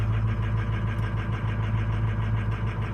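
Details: 2005 or 2006 diesel truck, 104,000 miles, cold start: lumpy idle pulsing about three beats a second, cylinders 2, 6 and 8 missing; suspected failing injector control module starving injectors.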